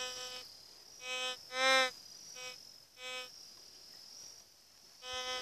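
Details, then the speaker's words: GMT White's metal detector, coil swept over ground with no target: short buzzing tones keep popping up because the ground is heavily mineralized; the detector picks up everything, false signals on mineralized ground. "pedro rocha longe ele pega pega tudo só que é bom mas não há terra mineralizada [Música] é muito mineralizado não presta"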